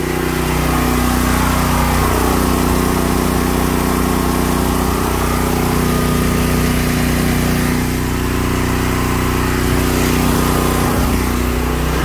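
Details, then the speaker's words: Westinghouse 9500/12500 dual-fuel generator running a 4-ton Lennox AC fitted with a hard start kit: steady drone sags briefly as the compressor kicks in, then pulls back up to speed; bogged slightly but handled the starting load. "it bogged down a little bit but uh man that westinghouse uh 950 took that four ton generator like a champ man"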